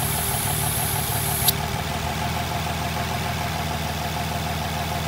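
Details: Nissan VQ35HR V6 with codes P0300, P2A03 and P2A00 and multiple-cylinder misfires, idling rough with a thin high hiss of air sucked into the intake plenum around the plenum cover bolt and stud locations, causing the misfire and bad idle.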